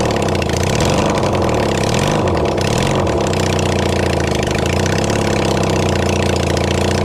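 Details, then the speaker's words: Kawasaki Zephyr 750 under restoration, carbs fitted, refuelled, a bit of choke, string as throttle: a few quick blips rising and falling, then settled even four-cylinder idle. Runs cleanly; normal idle. "so with a little bit of Choke and a piece of string as a throttle and of course some fwell we get better results"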